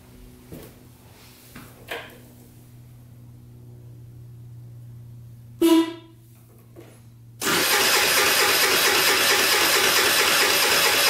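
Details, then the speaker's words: Scrap-pile moped with a new battery: brief cranking bursts that never catch, then it fires and runs steadily; it would not start at first because the kickstand was down and its safety cutoff blocked starting. "I had the kickstand down. That's why I wasn't starting right away."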